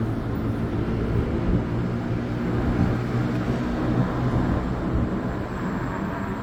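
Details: New Extreme Bull (Begode) Rocket electric unicycle, 13.5 km ridden, previously grinding above 25 km/h; ridden at 25 km/h or more after firmware update Rocket_JN1525001: steady wind and tyre roar, no grinding or scraping. Normal riding sound.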